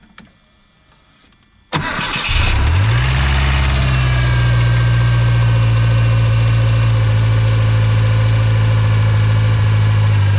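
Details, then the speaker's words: 1986 Mustang SVO fitted with a 1994-95 SN95 5.0L throttle body and cleaned IAC: engine catches quickly and settles into a steady, even but high idle because the bracket holds the throttle slightly open. "This is now pushed all the way forward, so it's holding that down instead of there being up a little bit, so idle's high."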